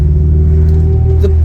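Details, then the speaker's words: B20 VTEC car, fitted used gearbox with 4.7 factory final drive and factory LSD, cruising at constant speed: steady thin whine over the drone, persists though fluid is more than full; gearbox whine. "car does drive phenomenal, but can you hear that whine? You can't get rid of that whine."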